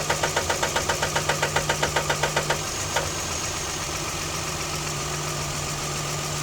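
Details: Sharp, even knocking at about 220 a minute over the idle, then it stops abruptly once the throttle is tapped and the engine runs smooth. Intermittent engine knock; a rod knock is suspected, cause unclear.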